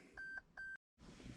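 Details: 8th-gen Toyota Camry XSE V6 in accessory mode, brake not pressed, while reloading the D3 Performance 91 tune: two short clean mid-pitched beeps about 0.4 s apart then quiet cabin; normal dash chime during ECU flash.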